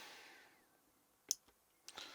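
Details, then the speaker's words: Train Tech RL1 DCC-controlled relay unit, microphone next to it, addresses 111 and 112 commanded: a quiet room, then crisp single clicks about half a second apart. The relay is operating normally. "and you can hear that that's now clicking. So 112 and 111."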